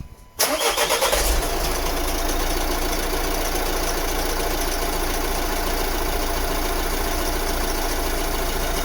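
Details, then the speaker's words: 2014 Vauxhall Vivaro diesel van started after a fuel filter change and coolant refill, run to circulate coolant: short crank, quick catch, then a steady, even diesel idle with no misses; healthy start. "all right so i'm just going to quickly start the engine now and let this start moving around"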